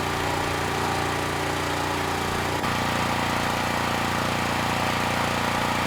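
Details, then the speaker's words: Generac GP5500 generator under about 2,500 W load; steady drone that drops and settles lower partway through, engine speed below the ideal of around 60 Hz; about 15% THD; low engine speed under load. "So, yeah, the engine speed, it's a little bit slower than I'd expect. You know, ideally under this kind of a load would be around 60 Hz, and instead"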